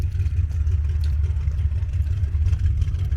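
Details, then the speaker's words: Engine running at idle: deep, even rumble with a steady low throb and no knocks or rattles. The AC compressor is blown. Engine runs healthy. "she sounds good. I miss driving this car."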